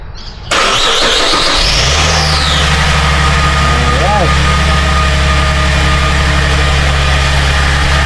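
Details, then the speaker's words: Suzuki Vitara, started after bolts were refitted in a rattle repair to test whether the rattle is gone: brief crank, clean catch, smooth idle. It is quiet now, with no rattle, no smoke, the idle dropping and no leak. "Tahimik naman siya ngayon. Okay naman, walang usok."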